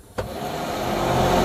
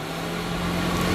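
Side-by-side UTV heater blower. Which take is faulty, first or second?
first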